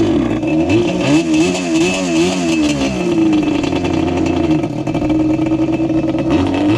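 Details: Yamaha Banshee two-stroke ATV with a customer-reported bog, running after air screw set to 1 turn (possibly fake carb); both pipes hot; revs climb unevenly and sag in waves instead of picking up cleanly, bogging off idle, cause still under investigation.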